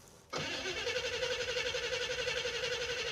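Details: '56 Chevy Field Car in freezing cold, low on gas after starter fluid was sprayed and with an electric fuel pump that won't lift fuel: steady starter churn with even compression pulses, about four a second, that never catches; cranks, no start.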